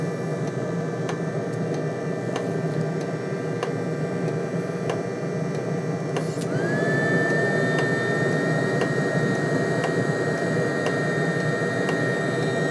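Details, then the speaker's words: Webasto diesel heater run on a homemade 555-based replacement controller, low setting: steady burner roar with regular fuel pump ticks, fan note climbing; marginal combustion then flames out. "That's running on low. I think it might be just a bit of flame out. It has flamed out."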